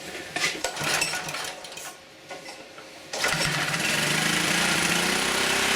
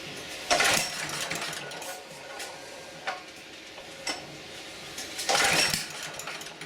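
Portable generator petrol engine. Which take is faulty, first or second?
second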